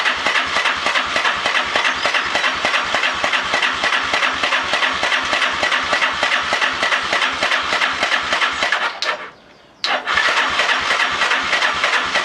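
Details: Lifan Earth Dragon 125, hot-wired project bike: quick, even clicking about three per second with a brief pause while cranking but never firing; no spark at the plug.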